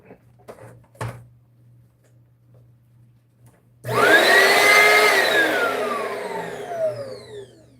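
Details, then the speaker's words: Upright vacuum cleaner switched on for testing: motor whirs up to a high whine and settles into a smooth airy rush with no brush slap, as if the brushroll isn't turning; probably a broken belt, not yet confirmed. "Uh, this is probably just a broken belt."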